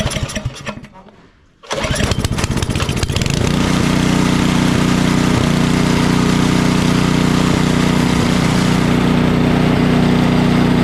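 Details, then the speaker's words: Craftsman 28-inch snowblower with 11.5 hp Briggs & Stratton snow series engine after bad fuel was cleaned out and a new carburetor fitted: fires after a pull and settles into a steady, even drone with no surging. "the difference in running between what it was just doing and what it will do now that we've got it all cleaned out of that bad fuel got a new carburetor on it something that's going to give us a good running unit"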